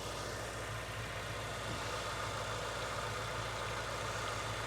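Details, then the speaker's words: Subaru Impreza GC8 with an external head gasket coolant leak, CRC head gasket repair added, about a minute after start: even, steady idle hum with a constant low beat and no knocks or misses; normal idle. "as you guys can hear it's only been like a minute or so since I've turned the car on the idle the engine still sounds perfectly fine"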